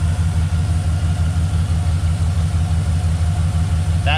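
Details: V8 truck after fixing a cylinder-four misfire where an old fuel pressure regulator port at the number four intake runner flooded and gas-fouled that cylinder: steady, even idle with smooth low rumble, no skips or stumbles; normal idle.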